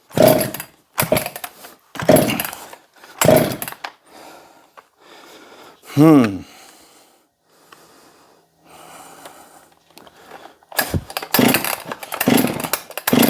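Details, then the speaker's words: Husqvarna 262XP chainsaw, air filter off, after a squirt of fuel: quick pull-cord cranks, spins over but never fires despite compression, spark and fuel; owner suspects weak spark or flooded cylinder; cranks, no start. "well we know it's got compression because I can feel it we know it's got spark because I just saw it and we know that it's got fuel because I just squirted it in there but the spark may be too weak to ignite the cylinder could be flooded with fuel"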